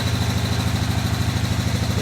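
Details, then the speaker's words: Riding mower deck under load: a loud, rough, pulsing low throb that can be felt, from a completely failed blade spindle; the owner doubts it is just the bearings. "i mean i can hear it and i can feel it it is oh my god dude there's nothing left to it"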